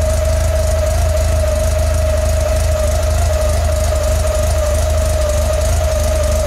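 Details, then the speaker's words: Warmed-up air-cooled Volkswagen engine at idle during carburetor mixture screw adjustment: turning the screw past its best point slows the idle and it starts to miss; turning back the other way it runs completely smooth. "now you'll hear the motor slow back down it was starting to miss now we're going to go back the other way right there it's completely smooth"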